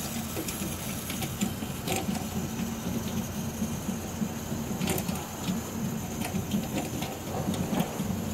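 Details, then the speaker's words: Beretta bithermic boiler (no plate exchanger) heating hot water: constant rapid rattling and popping over burner hum from the top, probably water boiling in a limescale-clogged exchanger; stops once hot water is closed; fix is acid descaling pump. "a questo rumore che probabilmente è sopra l'acqua che bolle all'interno dello scambiatore."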